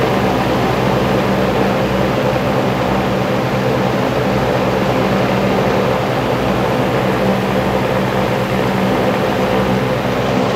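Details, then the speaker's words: Dayton (Grainger 2MA11) 24-inch ball-bearing box fan on low speed with the factory capacitor, measured at the fan: loud, steady rush of air with low hum, about 70 dB at about 1250 rpm; the oversized capacitor makes it run too fast. "okay so that was about 70 decibels or so on low speed"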